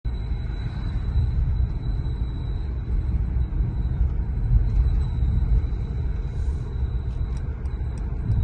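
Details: Mercedes-Benz E450, registered 7/2019, while rolling without the brake pedal pressed: a thin steady high whistle over low road rumble; brake squeal, cause unresolved.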